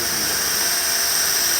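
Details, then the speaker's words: Pool filter air relief valve opened at startup after cartridge reinstall: steady high hissing whistle of trapped air purging before a steady stream of water arrives; normal purge. "We want to purge all that air out of the system right here instead of blowing it through the equipment. And you'll hear it coming, it'll start whistling."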